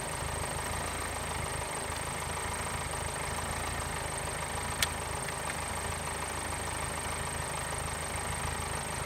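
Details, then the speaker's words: Subaru Forester with a dying battery, after starting on a portable TACKLIFE T6 jump starter: steady, even idle with one brief click, no misses or knocks, sounding healthy as before. "that sounds a lot more like what it used to before the battery started dying so I'm quite satisfied with that"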